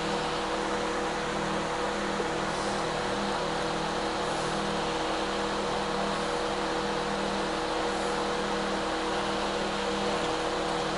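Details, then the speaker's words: Older microwave/convection oven, complaint not heating and not shutting off, running with even hum, low buzz and fan rush, no clicks or dropouts; inside reads 65. Normal running. "Okay, let me see if I can back out a little bit, because y'all can hear it run."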